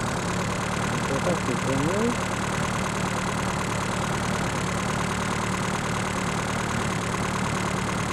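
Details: Reliant Robin just fitted with a more powerful alternator, now charging at 14 to 14.8 volts: a steady, even idle with a low drone and no knocks, misses or whine; normal idle.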